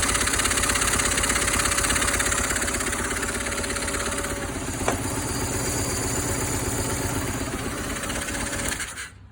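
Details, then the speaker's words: 1995 BMW R1100 GS, right-side cylinder after head gasket replacement: the boxer idles with an uneven, breathy, blowy chuff on each firing. A valve clearance (spacer) setting problem is suspected. "the good news is she starts bad news is she sounds a little blowy so i think it's going to be in a a valve spacer problem"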